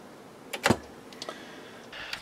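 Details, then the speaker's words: Akai AM-2800 integrated amplifier: a few sharp crackling snaps as the power switch is worked, with no steady hum between; the switch is arcing inside and failing to power on, so it needs replacement. "the power switch is kaput because sometimes when you turn it on you can hear it arcing inside and that's really a bad situation to be in"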